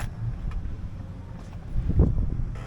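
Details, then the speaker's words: Boat outboard after replacing the fuel/water separator, fixing stalling when getting on plane, with the filter primed via the bulb: steady, even, smooth idle with no stumbling or surging. "Purring like a kitten, just like it's supposed to be."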